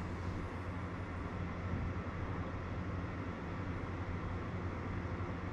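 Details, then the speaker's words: Webasto Thermo Pro 90 diesel water heater fan units on Garcia Exploration 45 sailing yacht, auto mode at first morning startup: steady even low hum and airy whoosh at medium fan speed, no rattle or surging; running normally. "that's a fairly well it's just a medium sort of fan speed but we'll just turn them all down to minimum fan speed"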